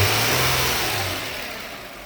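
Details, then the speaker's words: 2000 Nissan Maxima, 118,000 miles, no check engine codes, with a hard-start complaint: running now, a short rev drops back smoothly and the engine runs quietly and evenly with no ticking, knocking or misses. "Once again, I got the car up and running. It started up. Everything fine."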